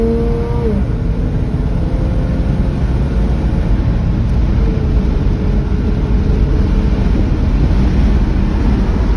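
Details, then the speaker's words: Chevrolet Silverado squarebody farm truck V8 under throttle on the road after a Holley Sniper EFI install: deep rumble pulling smoothly over road noise, no stumbles, hesitation or surging; huge difference, running like a dream. "definitely a huge difference runs great made it back to the ranch running like a dream"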